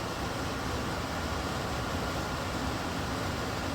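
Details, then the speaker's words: Ideal-Air industrial dehumidifier, model 700897, 180 pints/day, that produced no water, running after repair with no sparks this time: a steady, even hum and airflow hiss with no knocks or rattles, and water comes out minutes later. Normal running. "I heard something go, meh, and it's running. I don't know if it's working, but it's running."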